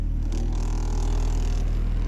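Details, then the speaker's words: New H23 VTEC Frankenstein engine in CB9 Honda Accord, cold idle after installing the missing oil squirter port plug and fresh 10W30: steady, even low idle, smooth rhythm, no knocking or ticking; 44 psi oil pressure, previously 0. "And we have oil pressure. I don't know know if you can read that. It's telling me I've got 44 psi upon cold fire up."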